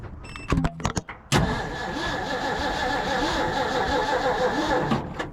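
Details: Abandoned 1950s Ford F5 tow truck cranked while someone watches a pulled spark plug for spark; a few clicks, then the starter grinds slowly for about four seconds without catching. Owner suspects the long, badly corroded starter wire is causing the slow crank.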